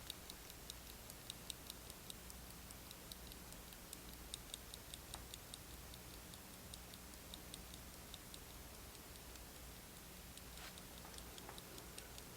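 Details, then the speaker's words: Circa 1971 Soviet Tochmash Vesna mantle clock that wouldn't run, held up to the microphone; faint, uneven ticking barely above room noise with awful balance amplitude; owner lets it run hoping the oil works its way around; low balance amplitude. "to get to focus you see the escape wheel in there turning the amplitude is awful i'm gonna let it run like that and see if maybe the oil will find its way around"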